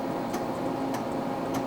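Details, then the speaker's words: TRS-80 CoCo with 5.25 inch floppy drive loading a machine language file ten times: crisp single clicks about every 0.6 seconds over quiet hum as the head seeks between directory and file tracks; drive working normally. "away that's it going between the directory and the file and loading that file over and over again and it's done"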